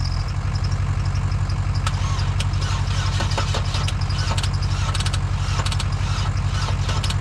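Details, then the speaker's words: Dodge Caravan engine run on water instead of oil, third restart attempt with ether and the service truck fired back up. Heavy, labored cranking at about two turns per second, slowing and tightening the longer the starter is held, with no start. "I thought it was going to fire back up there for a second but the longer I held the starter the slower it got and the tighter the engine sounded like it was getting"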